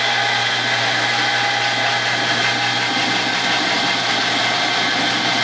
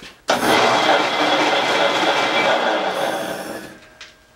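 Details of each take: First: 110-year-old Crescent bandsaw with new motor and belt drive, belt tensioned by the motor's own weight: even, steady whir for about eight seconds then clean spin-down; belt drive runs smooth and quiet. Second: 110-year-old Crescent bandsaw with variable-speed gear drive, before conversion to motor and belt: loud, rough whirring roar from start-up that holds steady then winds down, slow at low speed; noisy gear drive.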